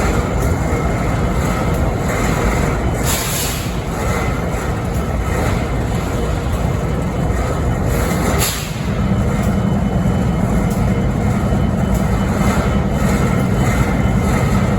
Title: Strange Noise on BNSF 5910 idle’s in Springfield Missouri 11-13-2022